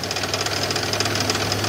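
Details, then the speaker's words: 2001 build-project vehicle at idle, knock heard on the drive home: sharp, regular knock loudest on the passenger side toward the rear of the engine; owner doubts it's the engine itself and suspects maybe a push rod, cause unconfirmed. "but it's coming out of this side passenger side more towards the back of the engine"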